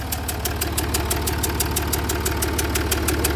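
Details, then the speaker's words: Jaguar XF S 3.0 diesel at idle: sharp regular chuffing about three a second that changes with revs, fumes puffing from around one injector; compression blowing past a leaking injector seal. "uite a lot of fumes, and it's sort of puffing there, look. Looks like it's coming from around that injector."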